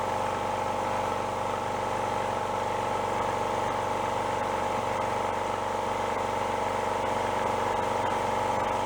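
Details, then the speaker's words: Junk piston air compressor with a rod knock, repaired with spare parts; it now pumps with an even, steady chug and no knock, with no smoking and no oil pushed out the breather. "I think it likes that much better. Not even smoking. Not pushing oil out the breather anymore neither."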